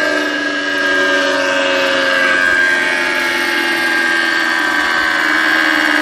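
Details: Conz 7.5 kW electric motor, first run in over 40 years on provisional power: a rough, gravelly whir with uneven buzzing tones; the bearings are broken.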